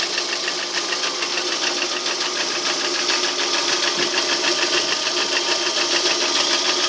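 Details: Lada Priora engine at idle with a quick, even light knocking about three per second that follows the revs; source unclear, knock present for a year and unchanged, only oil changed.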